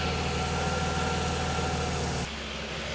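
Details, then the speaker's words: Mercedes 300E W124 after replacing crank position sensor, plugs, leads and distributor cap; run 10+ minutes, at temperature on gauge, manifolds hot; even steady idle with no misses, where before it coughed and stalled once warm; normal warm idle. "It's indicating it's at temperature on the temperature gauge, and it's running really smooth and not missing a beat, unlike before."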